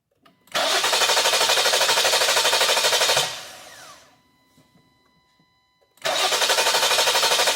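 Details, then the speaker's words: 2020 Jeep Grand Cherokee 3.6, P0339 after another shop's engine rebuild (heads off), scope on cams, crank, ignition and starter draw, timing suspected: long ~3-second crank with no catch, pause, crank again; extended crank, hard start. "It has an extended crank again, and we'll see what it does."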